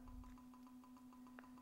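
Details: RuBee tag reader from a Visible Assets demo kit: quick, even train of short pings, several per second over a faint steady hum, reading the tag normally even when it is covered by hands, body or water.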